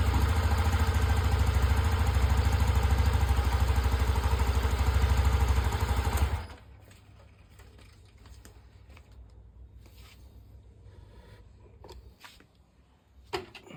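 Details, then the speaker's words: TVS Callisto scooter after cleaning its dirty fuel pump. Before, it stumbled, ticked and died off throttle. Now a steady, even engine beat for about six seconds with no stumbling or misfire, then a clean shutoff: running normally. "Nah, alhamdulillah ternyata motor Kalisto saya sudah lancar."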